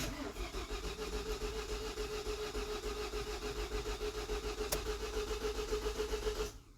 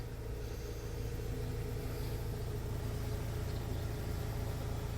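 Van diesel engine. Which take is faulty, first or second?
first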